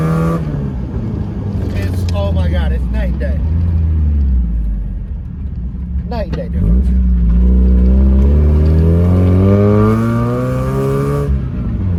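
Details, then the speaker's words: Miata drift car driven after a new muffler replaced the old one, which made an awful noise. Revs rise and fall smoothly with a full, even drone and no rattle or buzz, and the car now sounds good. "that was awesome the car sounds great I'm so excited like I finally this thing sounds good"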